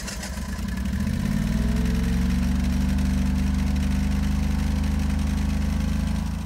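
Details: 12kW backup generator after exhaust repair: steady low drone at constant speed, no ticking or puffing from the exhaust; smooth, even and significantly quieter, repair successful.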